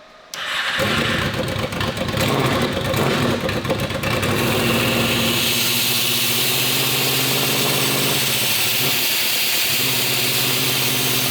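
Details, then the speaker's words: Honda VFR800 782cc V4 fitted with a universal Temu turbo, first start: it catches and holds a ragged, uneven run, revved toward 2,000 rpm without smoothing out. The turbo is spinning; an airbox restriction or a setup error is suspected. "Okay. So, obviously the bike isn't running correctly. Could be my fault. I'm not sure yet."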